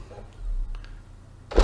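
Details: Xbox 360 E disc drive after repair of tray that wouldn't stay closed, eject pressed with game inside: brief quiet motor whir then firm clunk at end of travel; normal disc tray opening.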